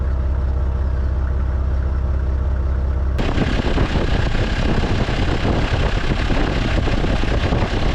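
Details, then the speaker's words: Toyota 80 series Land Cruiser, 4.2 inline-six 1HZ indirect-injection diesel, mechanical fuel pump, 546,000 km, warm idle; steady, even low clatter, no knocks, misses or hunting; healthy idle, owner says same when cold. "So it's had a long life, but I mean, you listen to it, it's already warmed up, but it's the same on a cold."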